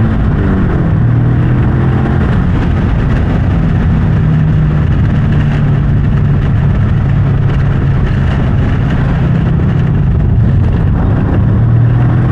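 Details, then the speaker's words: Subaru after fitting shifter couplers and pitch mount, driving under acceleration: steady engine pull with deeper drone and a faint loose rattle underneath; owner says engine is fine, suspects clutch throwout bearing or pressure plate. "I know you guys are thinking that the motor's blown up. No, it's not. So that noise that you're hearing is just the clutch banging around. I don't know why. I don't know if it's a throw bearing or what."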